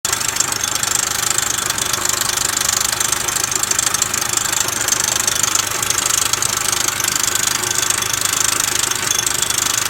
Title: 2000 Nissan Altima idler pulley noise problem